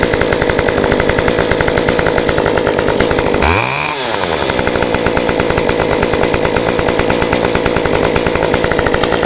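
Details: Modified Stihl 193T chainsaw (limiters removed, muffler mod, timing advance, 93 non-ethanol fuel), restarted after about 20 minutes shut down: fires after a short crank and settles to a steady, even high-revving run. Normal hot restart and run.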